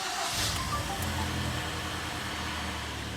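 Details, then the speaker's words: 2013 Hyundai ix35 G4KD engine, about 122,000 km, AWD automatic, after repair of piston knock; started in neutral, oil pressure up, smooth steady idle with no knocking or tapping before warm-up; running evenly. "давление пошло автомобиль заработал ровненько все хорошо"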